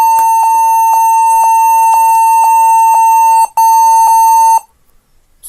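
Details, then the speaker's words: HP 14s-cf2 laptop at power-on after memory cleaning, shrill beep pulsing about twice a second, still beeping; fix was setting BIOS to UEFI boot and GPT partition on HDD/SSD. "oke ya ternyata e masih bunyi ya masih bunyi panjang begitu"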